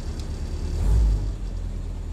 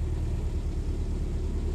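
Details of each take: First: Willys Jeep, freshly rebuilt original-parts carburettor, cold with no temperature showing yet, good oil pressure, choke on: low steady rumble at raised idle with slow swells; normal fast idle while warming up. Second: Willys Jeep, cold start after carburettor rebuilt with original parts (no master kit), on choke and a little hand throttle: low, deep rumble catching and fighting, slightly unsettled; more choke needed, cold-start stumbling on choke.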